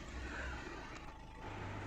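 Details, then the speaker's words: Skoda Rapid/Fabia 1.6 TDI diesel after 15-minute adaptation procedure, restarted: low even idle clatter with no misfire stumble or uneven beat; vibration and knocking gone, normal idle. "गाड़ी एक बार बंद करके वापस start करके दिखाता हूँ। देखो एकदम स्मूथ है और ये हमारा काम पूरा हो गया।"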